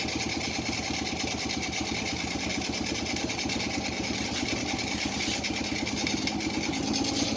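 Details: Honda Supra Fit New motorcycle after repair of heavy exhaust smoke and noisy, rough engine, engine reassembled and restarted: small quick even ticks with crisp mechanical patter, no knock or rattle; normal running, engine noise back to normal.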